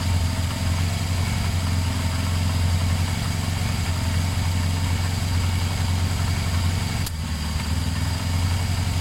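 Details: Motorcycle idling after reattaching a loose battery earth wire: low, steady idle thump with an even beat and no misses; a knocking sound was noted and old oil suspected, but it revs fine without lacking power.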